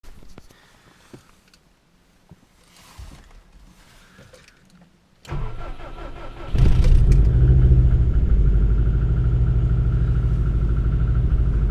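A cold flat-four cranks, catches and idles with a hollow, rapid knock, typical of cold piston slap. Cause suspected, not confirmed.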